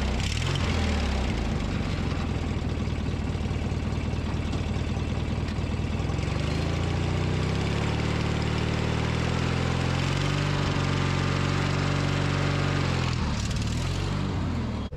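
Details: Briggs & Stratton 19.5 hp opposed-twin mower engine after starter replacement, cold start at 34°F: steady putter, revs ease up then hold an even idle before shutdown; running normally.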